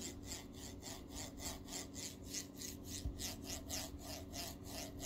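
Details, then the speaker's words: Formbot MGN9H linear rail block from a Voron 2.4r2 kit, slid by hand: with load on one side the balls make a gritty rasp on each stroke, but it runs smooth when loaded on the other side. A replacement block was sent. "but if I apply the load onto this side I can hear the ball here you can you hear it yeah that's kind of sound I don't know what it is"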